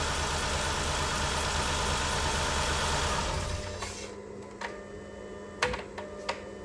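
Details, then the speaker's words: 2011–2016 Chrysler Town & Country with P0300/P0306 codes, idling during a spark test on cylinder 6 with no spark seen; rough, stumbling idle with a regular skip for about three seconds before shutdown, cylinder 6 still misfiring. "Let me start it up. So we got nothing. It's still misfire until the set."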